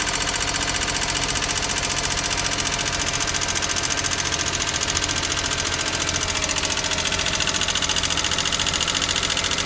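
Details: Daihatsu Hijet S320V engine at idle: sharp, regular light ticking about three or four times per second over a steady idle; suspected loose valve clearance, with valve lash adjusted later.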